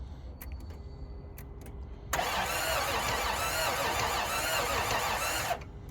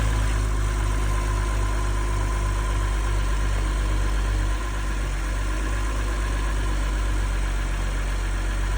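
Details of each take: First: 1992 Toyota 4Runner on a jump box: starter cranks steadily for about three seconds with a few weak catches, but the engine never fires and runs; cranks but will not start. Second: 2011 BMW 640, started on a jump box: steady, even low idle with a smooth beat, no knocks or ticks, slight dip as it goes into gear; engine sounds healthy, normal idle.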